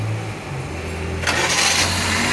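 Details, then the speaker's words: Suzuki Liana with long cranking before starting (reported when cold; title says when hot). Ignition current weakens during cranking, so direct current was fed in and it now starts after a brief starter whirr, on half a crank. A relay is planned as the fix. "गाड़ी हमारी half self start है, बंद करके मार।"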